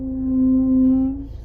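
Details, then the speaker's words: Range Rover Evoque braking while reversing: steady low moan near 260 Hz held about a second, then dies away; brake groan only in reverse, cause unknown, owner plans to check the pads. "whenever i'm i can't even it's so noisy so this is in reverse breaking while i'm in philly's evoke"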